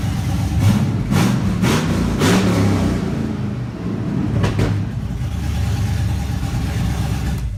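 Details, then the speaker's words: 1983 Chevy K10 with an LS V8 swap, just started for the first time after the swap: a few sharp throttle blips, then a steady, even idle with no knocks or misses; it runs healthy. "t is but I'll go over that in another video but yeah I'm just real happy it started and ran may not start tomorrow but hey at least I could hear it run"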